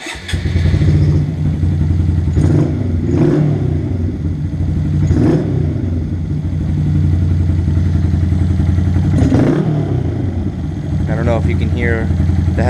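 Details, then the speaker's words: Honda Grom, damp drizzly weather: small single runs rough and uneven, sputtering and wanting to die when throttled from idle, fine above about 2000 rpm; misfire found caused by cracked spark plug boot. "Now it only does this when it is damp out and I have got caught where it's starting to drizzle a bit"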